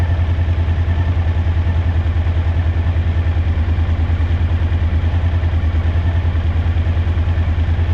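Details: Suzuki DL1000 V-twin at idle: steady but uneven, lumpy beat about three pulses a second, like one cylinder dropping out; rear cylinder misfire.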